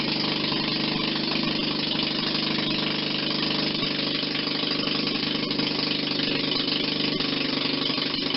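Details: 1940 Maytag model 72 twin-cylinder air-cooled gas engine, rebuilt with new rings: steady, even popping at about three and a half beats a second with no knocks or misses; healthy running.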